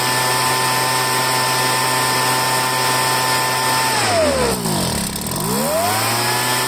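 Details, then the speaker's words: Poulan handheld two-stroke leaf blower after fuel line replacement: high buzz sags sharply then climbs back as the choke is flicked on and off to loosen dirt in the carburetor. "what I was doing will you you saw me doing it was once I had it running I kept on choking it choke off choke on choke choke on sometimes that loosens up all the crap in the in the carburetor"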